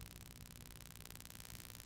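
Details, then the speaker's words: Low steady mains buzz with hiss from Pyle PMX7BU.5 mixer on an inverter supply, quieter after touching but still present; earthing or capacitance fault suspected, AC EMI line filter partly reduced interference. "These itty bitty wires keep breaking off. That really sounds like an earth issue."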